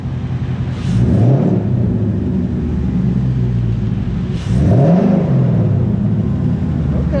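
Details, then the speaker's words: 2019 Ford Mustang GT after Airaid throttle body spacer and JLT catch can install: two quick throttle blips, pitch rising and falling with airy intake rush, audibly sucking air in; sounds healthy, normal. "so you can hear it sucking it in there and spinning it, I think."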